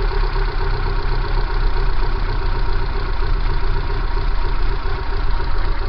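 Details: Kia Pride engine idling with abnormal shaking: low, uneven idle with a lumpy throb and irregular shake in the beat; rough idle, cause unknown.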